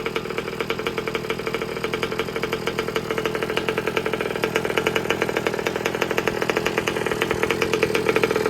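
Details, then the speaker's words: New two-stroke engine fitted to an old Baja, being broken in with heat cycles: a crisp, fast, even burble with a buzzy high note, idle deliberately set a little high, smooth and steady; the engine is healthy. "Sounds really nice and crisp. I've actually got the idle just wound a tiny bit up while I give it another heat cycle through here."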